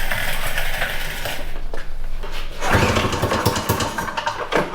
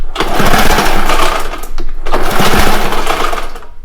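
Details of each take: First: Citation two-stroke snowmobile, primed twice: cranks, catches and keeps running with a choppy, revving crackle; starts and holds running. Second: Two long rasping recoil pulls on a Ski-Doo Citation snowmobile spin the engine over but it never fires; no spark, so it only cranks.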